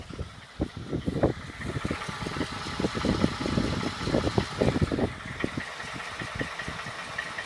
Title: 2012 ford f150 5.0 engine knock vid 2